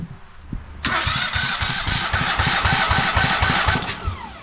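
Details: Cub Cadet Super LT1554 lawn tractor, 27 hp Kohler V-twin, 500+ hours, during compression test: steady, even, unlabored starter cranking at about four compression strokes a second; this cylinder reads near 150 psi, versus about 120 on the other side.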